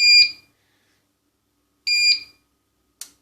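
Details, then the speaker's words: 2019 Powercom PCM RPT-600AP UPS after replacing two lost-capacity capacitors (10 µF 100 V, 100 µF 35 V): relay no longer buzzes and the battery charges. With 220 V mains cut, two short beeps and a click; normal transfer to battery. "Реле не дзищить. Акумулятор заряджається. Упс, в нас працює. Виключаємо мережу 220 і він переходить нормально."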